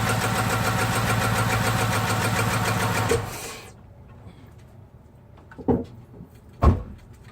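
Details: 6.1L SRT8 HEMI V8: rough, uneven running with loose ticking for about three seconds before shutting off; random cylinder misfire.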